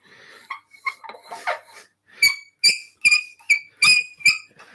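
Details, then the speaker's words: Crown 18 TPI thread chaser cutting threads in dry, fibrous wood on a lathe: sharp, high-pitched squeaks in quick bursts from friction. A little paste wax can help. "how's that sound ben oh squeaky okay so if it squeaks what can you do a couple of sensible things to help you a little bit of a paste wax"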